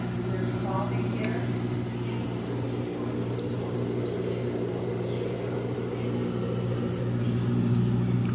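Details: Amana front-load washer in diagnostic mode, empty load, spin test at what seems top speed, after the medium-high accelerometer test: steady humming drone at constant high pitch with a faint regular swish; normal high-speed spin.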